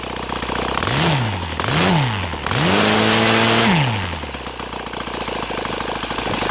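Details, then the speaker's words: OS FT-300 twin converted to gasoline with CH ignitions, 21x8 Xoar prop (idle 1200-1400, WOT 7000 rpm), after raising the idle: three clean rev-ups from idle with no stumble or hesitation; smooth throttle transition. "okay idle right now and let's give it another try it sounds much better in transition"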